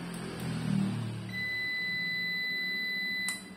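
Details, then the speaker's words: Prolink UPS after battery upgrade: replacement battery at 12.26 V, powered on, yellow indicator shows battery connected, then a click, low hum and a single steady high beep of about two seconds, a normal startup; battery drops to 12.17 V with no load. "Baterainya masuk Nah sudah ada bunyi beep artinya sudah tanda-tanda normal"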